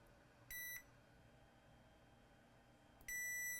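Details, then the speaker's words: PS5 motherboard that beeps then shuts off; multimeter continuity beep, brief then continuous, with both points measured together. Diode-mode readings fluctuate and resistance reads zero ohms, a short to ground; capacitor or chip suspected. "same thing number is fluctuating up and down and if you measure both at the same time we got a beep if we go to resistance mode and we measure between here and here we are reading zero ohms"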